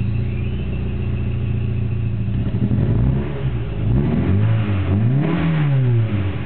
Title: mk2 16v hard start